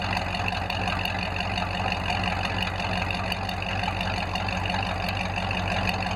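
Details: Ford F5 (American V8) started after a long layoff and a check of engine oil, ATF and coolant: steady, even idle with a low burble and a light, regular valvetrain tick on top; sounds healthy.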